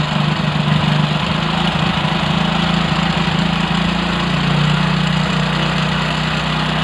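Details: Single-cylinder bike idling during carburetor air screw adjustment after a run to about 2000 rpm: an even low drone, revs dip slightly then settle smoothly; the carburetor responds normally and the idle is normal.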